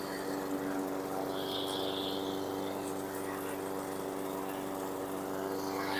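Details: 2017 Husqvarna LC 221RH self-propelled mower, Honda GCV160 160cc engine, after recoil starter repair, test run: steady, even drone at constant pitch, no misses or knocks; running healthy.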